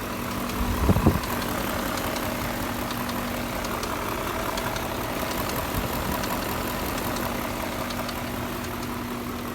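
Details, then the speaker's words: 2001 BMW E39 M5, S62B50 V8, about 164,000 miles (stated 184,000, corrected to 164): sharp metallic knocking taps over a busy, uneven idle, keeping time with the engine. Confirmed rod bearing failure, slightly premature, not preventive; rod bearings to be replaced. "so a little bit premature um it is rod bearing failure it's not bearing preventative maintenance it's thread bearing failure"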